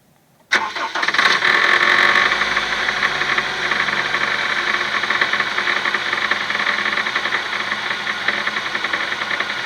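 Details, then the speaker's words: Honda Stream R20A engine on a cold start: catches at once and settles to a fast, light tick-tick-tick over the idle, clearly audible; cause not yet pinned down; cold start ticking. "Вот это вот. Тык-тык-тык-тык-тык-тык-тык, блин. Он отчетливо был слышен, да?"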